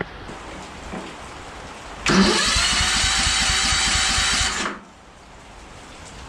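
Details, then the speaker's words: Ariens 34-inch Zoom zero-turn mower after starter repair, cranked on a jumper pack with fuel tank dry: steady, brisk cranking for about two and a half seconds without firing, turning over much stronger and easier than before. Normal cranking. "But you guys can hear it's starting over a lot stronger now. And we got the starter fixed anyways."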